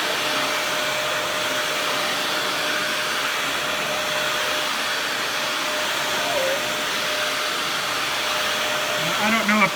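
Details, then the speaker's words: Dyson DC41 vacuum, trash find with replacement used cord and new dust bin latch, running: steady airy roar with a thin continuous whistle. Air leak suspected near a gouge in the bottom part by the dust cup; unconfirmed. "camera picked that up or not, but there is an air leak of some behind. It might be due to the uh that gouge that's sinking into the bottom part where that dust cup I showed earlier"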